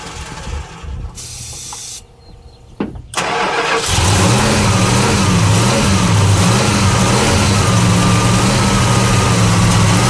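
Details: '75 Plymouth Roadrunner engine before rebuild, just after carb fire, choke questioned: catches after a few cranks, then a lumpy idle with pitch hunting up and down, backfires on throttle; rough running, owners suspect rings and/or valves.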